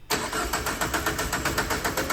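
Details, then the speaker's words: Peugeot 106 Turbo at EMS, no longer starts. It used to start before. The starter cranks steadily at about six chugs a second but never catches or fires; crank, no start, cause not confirmed. "Oui, on est bien allé chez EMS avec une voiture qui ne démarre pas."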